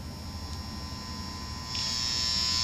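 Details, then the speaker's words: Guitar amp that worked fine before a move, now noisy in the new apartment on any outlet or room and through any preset, fine back at the old place: constant low electrical hum with thin buzzy edge; mains hum, wiring suspected. "now in my new apartment no matter where I put the amp what room what Outlet I use I get noise like"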